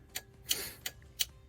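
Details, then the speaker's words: Suzuki Samurai/Jimny/SJ413 during dash reassembly with new combination switch: crisp even flasher relay clicks about three per second while testing turn signal wiring; relay cycling normally. "relay cuz you can hear it click um but I have a feeling that there's wires in here that turn around and take off and go back up to the instrument cluster to indicate"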